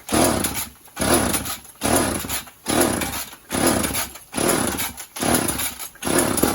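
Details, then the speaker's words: Two-stroke chainsaw stored in a shed about 1.5–2 years, run without bar or cover: revs up and drops back about once a second, crisp and clean; runs fine. "Been sitting in the shed for about 2 years, A year and a half, right? but it runs just fine."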